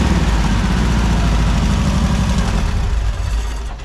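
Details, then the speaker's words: Air-cooled engine after rebuild, accelerator pump leaned out to cure an off-idle stumble, idling a little high. Lumpy, loping idle with an uneven low thump about four times a second. Misfire noticed on the 1-2 side, cause not confirmed. "There is one concerning thing that I noticed is there's a miss on the one two side."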